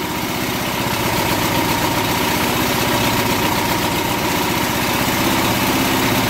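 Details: Small single-cylinder test mower engine, warmed up, oil drained and crankcase filled with old car wax, on a 10-minute run with exhaust temperatures falling; holds a steady even idle at about four firings a second with no knocking or seizing.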